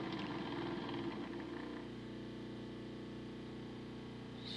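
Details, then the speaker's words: Home-made decoder tester DC motor at about 50% power drawing a little over an amp: rough, buzzy whine with uneven crackle over the steady tone; motor arcing inside, suspected cooked and frying decoders. "well Jesus dropped man that motor sounds terrible oh she's arcing inside"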